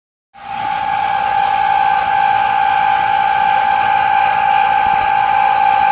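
A steady, piercing high whistle starts abruptly and holds constant pitch throughout; an abnormal whine from the air conditioner, cause unclear.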